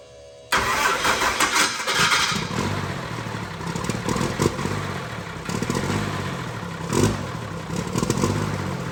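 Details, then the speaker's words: Diesel truck starter: a harsh grinding rasp as it engages, then the engine catches and runs; the starter drive is worn with lots of play when it shoots out. "all right so after a little diagnosis we've determined that this starter is uh not good it uh that was that noise you guys were hearing it it was really loud"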